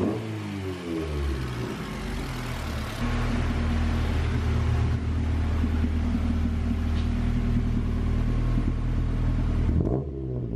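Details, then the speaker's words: 1991 Honda CRX Si with swapped JDM B16A, running again after a no-start traced to an empty fuel tank; revs climb then hang flat and flutter, bogging under throttle. Misfire persists, cause not found. "i thought it was just messed up because it's already been not running right and it still does bog so that issue"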